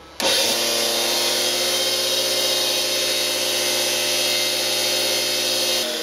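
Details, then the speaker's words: Lathe driven by a washing-machine universal motor, with the spindle belt off: the motor spins up to a loud, steady whine with a harsh rushing hiss, blamed on worn motor bearings before their replacement. "and there's the answer right there it's all down in the motor"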